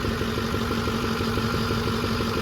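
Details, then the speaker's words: 6.4 diesel truck build at first fire-up, no air filter fitted, exhaust smoky from runaway oil: steady idle clatter with a faint constant hum riding over it; the whine is thought to be a bad power steering pump. "so this is that sounds like a bad power steering"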